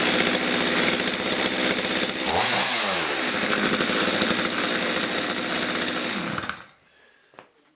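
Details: Stihl MS230 chainsaw that was boggy, lumpy at full revs and stalled when set down; after adjusting the carburettor fuel mixture it revs crisply and holds clean and even without bogging, then shuts off; normal running.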